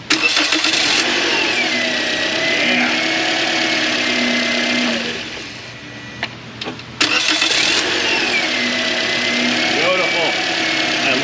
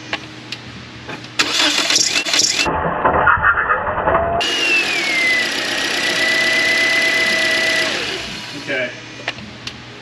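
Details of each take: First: 2013 Toyota Corolla restarted after belt retensioned: engine catches quickly and settles into an even idle with no squeal or chirp; normal idle after repair. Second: 2013 Toyota Corolla back after a paid repair: the starter whirrs and the engine catches, then a shrill squeal slides down and holds for about three seconds on start-up. The mechanic suspects the belt, unconfirmed.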